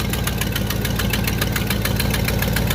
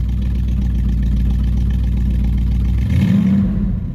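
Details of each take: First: 1969 Buick GS 350 V8 warming up after a fuel filter change, oil pressure low: sharp, even ticking about six times a second over a steady idle, an exhaust leak at cylinder eight. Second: 1969 Buick GS 350 after fuel filter change, previously boggy with no power off idle: steady low idle then quick clean rev rise around three seconds with no bog or hesitation; crisp throttle response.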